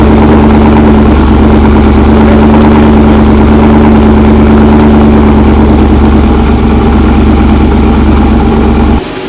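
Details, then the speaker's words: 6.0L V8 Trans Am just back running after ignition coil, plug wire and O2 sensor work, not yet warmed up: deep, steady V8 burble with an even rhythm and no ticking or misfire for nine seconds before shutting off; healthy idle. "Folks, TA is back alive. It sounds great, healthy. We're gonna let the engine warm up, make sure there's no leaks, no other issues, and then maybe drive, maybe some sound clips, I don't know."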